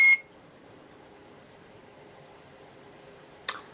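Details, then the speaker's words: 2006 LG WM14225FD direct drive washing machine, 11 years old with slightly worn drum bearing: short high end-of-cycle beep, then near silence and one click as it finishes its last cycle normally. "well that set I'm afraid your life here is finally over once it clicks on to end there that's the last time probably that it'll be doing it for me"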